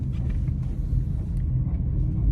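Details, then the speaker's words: 2012 Chevy Equinox front brakes with no pad left, braking at about 5 mph: a deep, uneven growl of metal-to-metal grinding from worn-out pads; caliper may also need replacing. "so that is the front brakes making noise so i drive like five mile per hour and step on the brake and you hear the growling noise and metal to metal contact"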